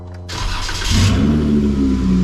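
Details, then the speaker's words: Supercharged Jeep Wrangler, first start after cutting off the muffler dented and rattling against the frame from rock crawling: engine catches and settles into a loud, raspy, open rumble far beyond stock; loud exhaust, muffler removed. "Whoa. Oh. Oh, wow. That sounds fresh."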